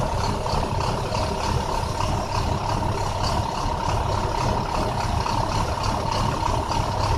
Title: 2009 international Bus bad misfire